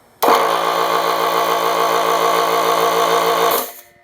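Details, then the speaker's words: Craftsman 12-gallon air compressor, previously only humming, after repair with new oil: steady even hum from switch-on to shutoff, no knocks, rattles or wavering; pump runs smoothly, works great. "works great no problems"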